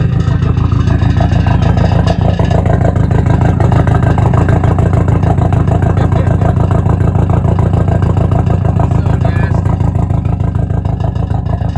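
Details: 400,000-mile VW B5 Passat 1.8T being torn down, running after sitting: rough idle that chuffs and puffs in a steady rhythm; exhaust leak heard.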